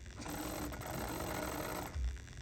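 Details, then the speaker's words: 2008-up EZGO gas fuel-injected golf cart that died, key on and pedal pressed: a brief, feeble starter whir and rattle with no crank, as battery voltage drops to 7 V. Below 9 V it won't turn over, so a battery goes in next. "All right, voltage drops to 7 volts. And anything below 9 volts on the new fuel injection carts will not turn over."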